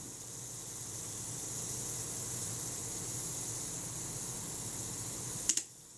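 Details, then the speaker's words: Voigtländer Perkeo I roll-film camera, Prontor-S shutter during servicing: the delay action (self-timer) runs down smoothly with a steady fine whirr for about five seconds, then a sharp double click as the shutter fires; normal run-down and release. "If I set the delay action or self-timer, fire the shutter, that's running down smoothly."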